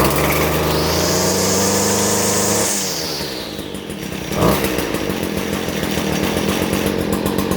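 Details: Stihl FS 56 RC trimmer on half choke after cold-start die-off, now on correct 50:1 fuel after running 20:1 mix that needed 4–5 pulls: starts on one pull, high even buzz at full revs, clean drop to steady idle; running normally.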